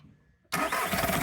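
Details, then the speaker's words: Skoda Fabia 1.4 diesel at startup: quiet, then the engine catches with a few uneven knocks in the first moments. Suspected engine mount, but it was a loose airbox knocking against the ECU, fixed, knock gone. "Just the airbox sitting there. Just the airbox sitting in the ECU. Oh, that's a nice result. That's a nice result. No engine mounts at all. Just that is way too loose. So we fixed that and we got rid of the knock."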